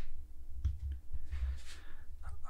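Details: MUST PV18-3224 VPM II 24 V off-grid inverter on grid power: a few sharp, dry clicks over a low steady hum as the output relay switches over normally.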